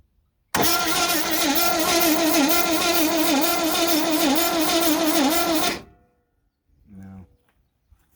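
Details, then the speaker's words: 1971 International 1110 step-side pickup, long-sitting salvage-yard truck, even starter cranking at about three beats a second that never catches; spark seems strong: cranks but won't start. "no I don't think it was any better that time no no the spark seems to be strong yeah mhm"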